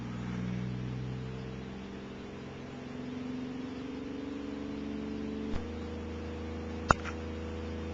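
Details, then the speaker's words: Second Bedini pulse motor (1,000-turn coil, three rare-earth-magnet rotor) now on a 12 V battery: steady, even low hum at good speed with no knocks or rubbing; normal running. "you can hear he's got some pretty good speed going there now it's just huming along"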